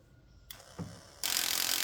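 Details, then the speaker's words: Cadillac DeVille (Gigapony build) driver door power window motor, powered at the door: a couple of clicks then a loud harsh grinding ratchet under a second as the motor spins; stripped gear, fixed by a new motor. "ah there's our problem it's the motor okay so driver door issues solved by a new motor three more doors to go"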